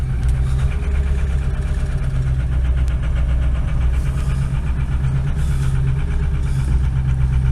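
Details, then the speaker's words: Ford F550 Lariat 6.0 PowerStroke diesel, cold start around 17°, oil 11°, battery 10.5 V, noisy injectors: loud deep idle with an uneven lumpy beat, stumbles and cab shaking; rough misfiring cold idle. "wow that's not bad it's a little missy it's not look cup holders kind of shaking kind of sounds like uh shit's about to fly out of the engine she definitely is not sounding happy"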